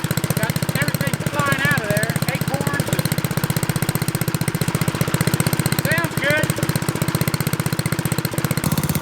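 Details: Troy-Bilt Horse tiller single-cylinder engine running after fresh fuel reached carburetor: quick, steady putter about four beats a second, even firing, no misses; runs normally.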